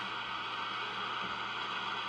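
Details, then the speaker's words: Swan 700 tube radio, no antenna, idling: steady receiver hiss with light irregular static crackle; microphonic chatter in receive section, suspected audio output tube, to be swapped, after extra solder grounding of tube sockets. "so I have no antenna on now I'm just letting it hiss see if I hear any static and there is a bit"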